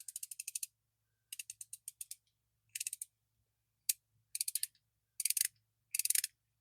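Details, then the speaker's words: Bonney R45 ratchet after cleaning out caked mud, grease and grime with brake cleaner in a 42°F shop: crisp, rapid, even clicks in bursts of six to eight per swing; normal ratchet clicking. "Definitely sounds good because before you really couldn't hear anything cuz it was so caked with mud, grease, grime, and everything else."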